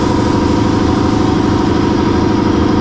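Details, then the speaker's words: Brewery compressor that serves tank cleaning and the keg systems, loud and noisy when running; steady pumping drone with an even hum and no knocks or surges, running normally. "so this is it it's very loud and noisy that know what you're hearing is from the compressor to clean the tanks to the uh the kegerators the other categories the kegs"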